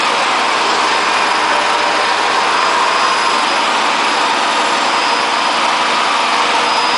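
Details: Hotpoint Aquarius WF540 washing machine spinning at 1400rpm with a loud, steady, rough jet-engine-like roar from broken, worn drum bearings.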